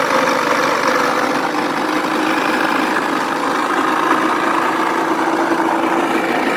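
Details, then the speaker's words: Four-stroke 80cc scooter engine running: steady raspy, harsh rustling noise that rises with rpm, no clear knocks; mechanic suspects failed crankshaft main bearing(s), one or both, unconfirmed. "Итак, судя по этому звуку, я бы сказал, что это, скорее всего, звук из главных подшипников. Либо этот, либо тот, а может быть, и оба потерпели неудачу. Как распознать этот звук ? Звук резкий, шорох. Она увеличивается с ростом оборотов двигателя."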